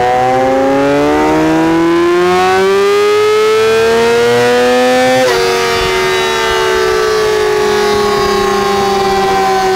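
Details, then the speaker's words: Yamaha R6 RJ11 four-cylinder after a cylinder-head repair with all valves new, warmed up before a dyno run: revs cleanly and settles back, a smooth even howl with no ticking or rattle; healthy engine, later 110.41 hp at the rear wheel. "ja motor läuft wieder hört sich gut an keinen tickern kein vergleich zu vorher ventile sind alle neu"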